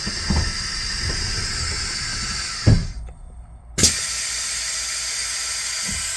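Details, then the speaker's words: Air door controllers on a bus converted into a studio lorry leak after air builds in the tanks: a steady high hiss that briefly cuts off and returns, making the sliding door misbehave; the controllers are being replaced. "So if you listen carefully, you might just hear some air leaking out of here. And that's coming from somewhere in there."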